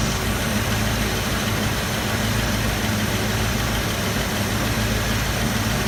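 Steady idle with a constant airy hiss over a low rumble and no clear ticking; it sounds like an exhaust leak.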